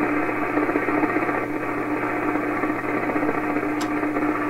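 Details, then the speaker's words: 1928 RCA Victor Model 28V radio. A steady hum has a fixed high whistle over the static, the squeal of regenerative feedback oscillation. Opening the feedback control capacitor to reduce feedback makes it go away. "And I'll open the capacitor and reduce the amount of feedback. We'll see if that goes away."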